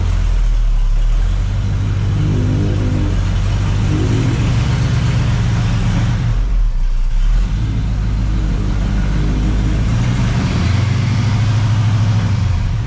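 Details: Freshly rebuilt 400ci small-block Chevy V8 (new bearings and rings) in a 5-speed S10, first run, 65 psi oil pressure; deep, even rumble rising and falling with throttle, no knocks, ticks or rattles. Normal running.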